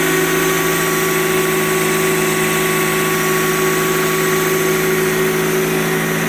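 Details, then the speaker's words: Cold start after repair of a 2004 Honda CR-V 2.0 K20 engine that had a knock (suspected timing chain, possibly oil pump); the engine is fully cold and now idles smoothly and evenly with a steady hum, no knock or rattle. "Ну отлично вы видите того столько нету уже однозначно моторчик работает гораздо лучше мотор полностью холодный сейчас"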